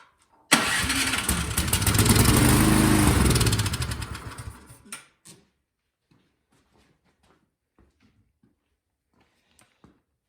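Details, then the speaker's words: Craftsman snowblower that won't start, spark confirmed: fires immediately on starting fluid sprayed into the carburetor intake, revs about four seconds, then dies; suspected clogged carburetor jets from stale gas, needing the carb removed and cleaned. "so we just need to pull the carburetor off and we need to clean it i suspect gas sat in it and just clog the jets up"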